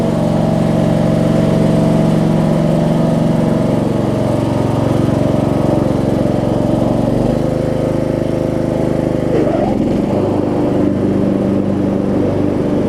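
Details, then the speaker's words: Craftsman DLT3000 riding mower, Briggs single-cylinder, after camshaft/compression release replacement: runs at steady governed speed, dips slightly under load while driving, no knocks or stumbles; normal running. "so let me crank it up and i'll show you that it runs and all that good stuff"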